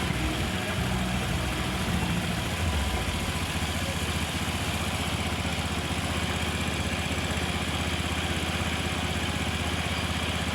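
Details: Honda Vario (old model) scooter after radiator coolant refill and bleeding, during a charging-system check after a battery was replaced without testing: steady, even idle patter with no misses or knocks; a healthy engine.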